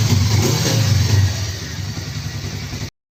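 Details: Freshly rebuilt Suzuki GSX250 gymkhana engine with forged piston, DL300 crankshaft and balancer, high-angle cam, slipper clutch and piggyback ECU, still being broken in: quick light rev settling to a smooth even idle, no rattles or knocks; owner says very quiet.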